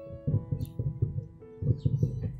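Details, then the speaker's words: Old Simbada 2.1 active subwoofer speaker after replacing power supply electrolytic capacitor: music thumps cleanly with punchy bass and no mains hum; humming fault fixed. "Nah, oke teman-teman, setelah pergantian elko di power supply, dengungnya itu langsung hilang."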